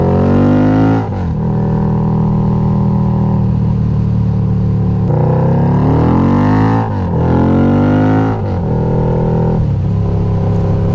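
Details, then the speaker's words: Harley-Davidson Night Rod V-twin, 1130cc bored to 1250cc with Hellraiser cams, on test ride: pulls cleanly up through the revs with a brief dip at each shift; strong, healthy running. "that exhaust sounds so good i i don't even have to gun it all the way to 9000 rpm like i am good just ripping through it like that"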